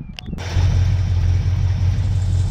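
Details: 1976 Ford F250 V8 freed up after seizure by soaking through the spark plug holes, running on jumper cables: silent, then a deep low rumble catches and runs unevenly; it is getting fuel, and the carburetor accelerator pump is suspected of leaking.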